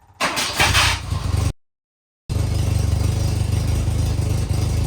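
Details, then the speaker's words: 1984 Volvo 244 GL revived after sitting abandoned in woods, carburetor swap for fuel injection, temporary 3-inch exhaust tack-welded: rough idle with a raspy puffing chuff; still quite an exhaust leak, but much better than before. "It's still got quite an exhaust leak, but it's much better than it was."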